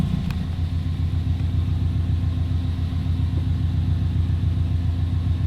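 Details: Subaru WRX wagon, JDM EJ205, about 20 years old, warm at operating temperature after throttle and cruise control cables found too tight and adjusted: steady, even low burble at idle with no hunting, surging or misses.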